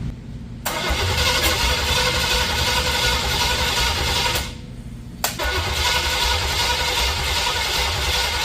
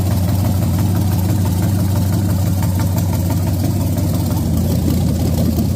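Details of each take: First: Junkyard-built 350 small-block Chevy with hydraulic flat-tappet cam and Vortec heads, in a 1984 Camaro Z28, first start: two bursts of cranking at about four turns a second, never catches; no spark because ignition power was wired to the tach. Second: Freshly built junkyard SBC 350 for 1984 Camaro, hydraulic flat tappet mystery cam, Vortec heads, GM Performance intake, first run on engine stand: steady even idle, deep low rumble, no knocks or ticks; sounds healthy.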